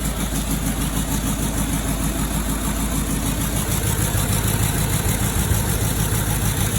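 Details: 2007 Range Rover 3.6 TDV8 turbo diesel, warming up after fitting reconditioned turbochargers, exhaust not yet reconnected: steady idle with an even low rumble and a thin high turbo whistle on top, no knocking; healthy engine.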